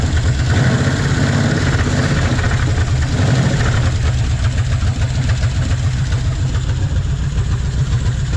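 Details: 1956 Chevy 150 with a 35-year-old engine, just revived, idle; light uneven ticking over a steady rumble, valves need a little adjusting: valve tick from loose valve lash.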